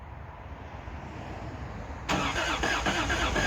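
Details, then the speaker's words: Old Toyota Hilux DLX pickup with fresh gas added. The starter turns the engine at a slow, uneven beat that never catches. Crank, no start: fuel pump not heard, and something was later found unplugged. "I can't hear the fuel pump, so let's do a little investigating."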